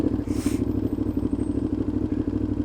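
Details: Motorcycle with play between the silencer and the catalytic converter, sounding like an open exhaust: very loud, raw idle with sharp popping pulses about eight or nine a second; possible exhaust leak; loud exhaust at idle.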